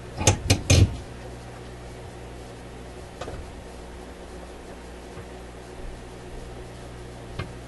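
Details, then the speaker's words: RCA A24 antique vacuum tube radio during alignment, dialing toward 1500 kilocycles after setting 600: handling clunks then only steady low mains hum, sounds empty, signal disappearing as if tuned out of operating range; hum with no station signal, cause unknown. "Ooh. Does that ever sound empty? Sounds like an empty radio. I wonder what happened here. It's almost as if we tuned out of a range within which the radio can operate."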